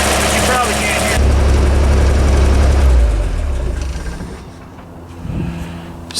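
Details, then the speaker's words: Vintage Toyota Land Cruiser (stated as 1979 and also as 1972), run cold: lumpy, uneven idle with a stumble about four beats a second and a shaking thump. Exhaust tube for cylinder three stays cold, so cylinder three is misfiring. Possible causes: low compression, valve, carbon, spark plug or ignition. "so that tube is definitely cold that tube's hot that tube's hot that tube's hot so we have a misfire in cylinder number three so it could be a low compression issue a valve issue carbon spark plug ignition any one of those items"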